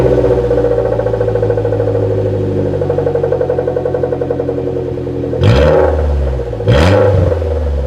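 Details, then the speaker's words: Suzuki Jimny with no rear muffler (back box), effectively straight-piped: loud, throaty idle with a raw, uneven burble, then two sharp revs rising and falling quickly. No silencer on the exhaust. "like that didn't sound that bad actually that sound quite throaty um I mean a bay would be a n to drive it like that on the road but to be honest it wasn't it wasn't that bad it wasn't that bad"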